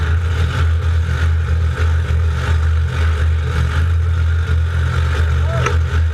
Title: No start raw